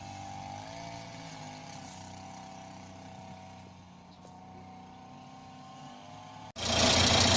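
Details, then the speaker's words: 1986 Renault Super 5 GTL 1.1 petrol idling just after an oil change with 3 litres of 15W40: it started first turn, and the quiet, steady low idle has an even beat with no knocks or misses, running cleanly. "Bon voilà, démarrage au quart de tour. J'ai mis 3 litres d'huile. Donc là je vais laisser un petit peu tourner."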